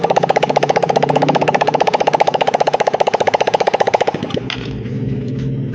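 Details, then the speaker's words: Yamaha Mio J fuel-injected scooter with no ignition but a humming fuel pump, after swapping in a replacement pulser (not the correct part): steady, even putter, about three beats a second, then shuts off; fault was the damaged pulser. "Teman-teman. Motornya sudah bisa hidup. Berarti permasalahannya ada di pulser ini ya."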